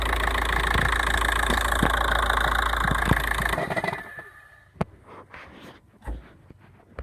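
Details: Unidentified knocking at idle on a 1.9 TDI diesel: steady clatter with occasional sharper knocks, then the engine shuts off, leaving a few loose clicks and thumps; owner unsure of the cause.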